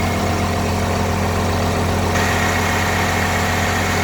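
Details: Diesel FC truck, engine hot: loud steady roar with fluttering throb near the radiator, noisy into the cab; owner suspects one of five electric cooling fans, possibly a worn fan bearing, unconfirmed.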